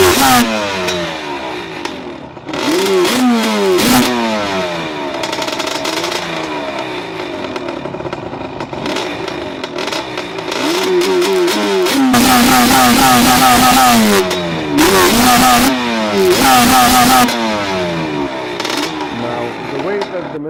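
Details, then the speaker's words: 2005 Yamaha Banshee two-stroke quad: engine revs unevenly, stumbling and breaking up, misfiring only once warmed to operating temperature; owner suspects an electrical rather than mechanical cause. "recently I faced the problem with it when the engine was misfiring"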